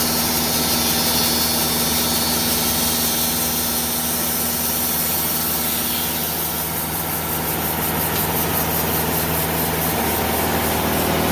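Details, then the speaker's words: Sawmill band blade with prior damage (earlier hit a nail) rasping through very hard American beech on a slow cut, harsh pulsing about four times a second over engine drone; sounds like a blade about to blow. "i thought i was gonna have a blade blow up that sounded again absolutely horrible"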